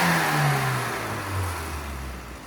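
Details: Standard 1275 Sprite engine, carburettor BDR needle modified for the 3,000 to 5,000 rpm range, oil fine: crisp throttle blip dropping away cleanly and evenly, no misfire or stumble; healthy after tuning.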